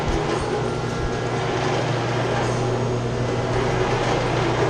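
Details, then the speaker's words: Chiller chilled-water pump shaking badly, with copper lines vibrating: a loud, rough drone with heavy low hum, caused by a clogged suction strainer that needs cleaning. A leak is also present. "see it's shaking. What's happened though, they got a strainer right here. This needs to be cleaned out."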